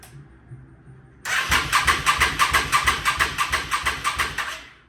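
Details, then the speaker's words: 1998 Yamaha V Star 650 Classic, carbureted, non-running after fuel system work: steady starter cranking with even compression beats and no firing, possibly because the throttle was left wide open; it later started. "oh I think I might have left the throttle wide open"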